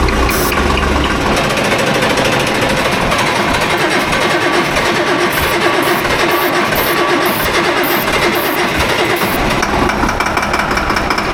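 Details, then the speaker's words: Tractor diesel after new turbo and injectors, finally starting after bleeding air from fuel system (ether possibly used); loud, steady even clatter with no stumbling or misfire; normal running. "πάμε, το καταλάβαμε, ω, τρέχει, αυτό είναι αυτό που θέλω"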